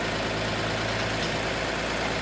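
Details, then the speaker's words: 1950 Chevy truck, long parked, running after a fuel system replacement and carburettor cleaning. A constant, even engine hum with no dips, knocks or stumbles; idling smoothly. "That's a little sketchy, but it runs cool."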